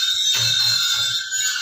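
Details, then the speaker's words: Homemade outdoor lechon manok rotisserie griller driven by a 12 V wiper motor through a bike gear with its lock removed and a motorcycle chain: a steady high squeak over faint motor hum is friction between the skewer and the flat bar, expected to fade with use. "Yung naririnig yung ingay, ano lang yan, friction ng skewer tsaka dun sa flat bar. Pero pag tagal niya, mawawala naman niya."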